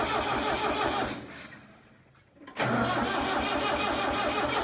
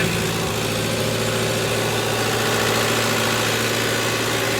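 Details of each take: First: Tractor abandoned three years in a meadow, with mouse nests, an old battery and fuel line and pump issues: long bursts of starter cranking with pauses, no catch; diesel appears fuel-starved, owner wonders if the throttle is set wrong. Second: Tractor abandoned for three years, after fuel system work: a steady, even diesel clatter with a constant low drone, no misses or surging. Normal idle.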